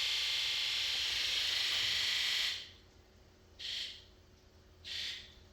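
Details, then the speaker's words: 7.3L Powerstroke 1-ton dump truck after a valve cover gasket fix, key-on injector electrical buzz test; a steady high buzz for a couple of seconds, then two short even buzzes, with number one no longer sounding weak: injectors answering normally. "number one sounds better it no longer sounds like the weak link"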